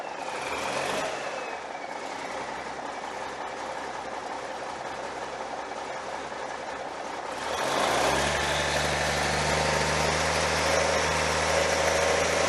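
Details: Cummins 855 Big Cam IV NTC 350 diesel after an in-frame overhaul, another fire-up after fixing a leak: settles into a steady, even idle once it picks up, no knocking or hunting; normal idle.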